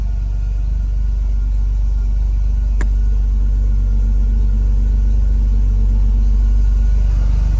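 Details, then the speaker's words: 4.3L V6 petrol engine, not yet up to temperature, after a manual brake conversion: steady high idle with one sharp click. The owner believes a connector was left unplugged. "The high idle. I don't even know what the high idle is, but I can tell that it's higher."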